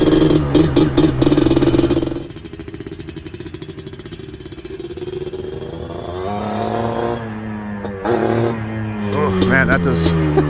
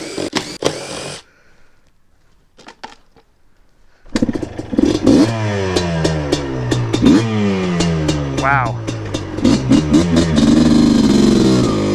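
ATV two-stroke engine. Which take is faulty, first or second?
first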